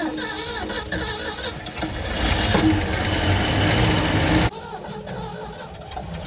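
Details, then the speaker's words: 1973 Ford F100, 302 Windsor V8, parked 16 years, first start after carburetor work: quick, fairly even idle patter that settles and keeps running, no knock, slightly smoky, rings expected to reseat; healthy. "man it's not knocking enough like a sewing machine man it's a runner"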